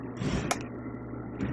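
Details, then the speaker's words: Sony Genezi HS-GTR33 audio system at zero volume, no track playing, speaker connected: constant low mains-type hum, louder as volume rises and on the subwoofer. "nosotros conectamos acá un speaker el equipo en este momento puesto está a 0 volumen lo vamos a dejar a 0 de volumen y acá escuchamos un ruido ahí pues hay un zumbido"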